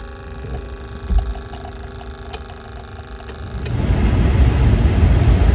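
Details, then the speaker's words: 1990 OBS Chevy truck after blower motor replacement, dash still apart: brief whir and clicks from the actuator motor, then the fan spins up to a steady, even rush of air with no rattle or squeal; blower works normally. "oh yeah sound a whole lot better that noise you heard it first was the Actuator motor oh yeah that will work"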